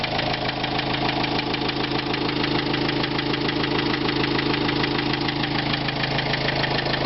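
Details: 2005 Renault Trafic 1.9 dCi diesel at a steady idle with a regular hard knock, about three per second, above the clatter; cause needs further checks.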